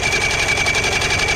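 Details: 1977 Johnson outboard on a pontoon boat, out of the water on a trailer, torn into after a bad fuel leak: fast even chatter of cranking on the starter, never catching; cranks but won't start, spark being tested, no-spark issue suspected.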